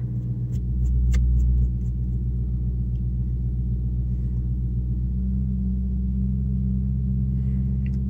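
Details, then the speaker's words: Infiniti M56 V8 with sport muffler, in gear, in cabin, aiming for 1000 rpm: deep droning hum swells, eases briefly, then returns; low-rev drone the active noise cancellation mishandles. "I'm going for 1000 rpm I've exceeded it it has right now I might be having some trouble attaining that but when you're driving it knows how to find it and irritate the heck out of here"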